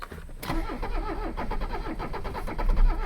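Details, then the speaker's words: Abandoned Mercedes 300CD diesel being cranked with ether sprays: slow starter cranking broken by uneven chuffs and knocks as only two cylinders fire; progress toward starting. "oh there's two there have two cylinders we're making progress good lord this thing makes so many horrid noises with the beep boops and the clicks and the lines"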